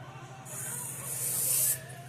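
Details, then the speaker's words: Washer hose connection being tested after tightening: a sudden steady high hiss for about a second as pressurised water sprays; minor leak at the threaded fitting, may need plumber's tape. "Alright, minor leak, not a huge, so you have to figure out where it's coming from."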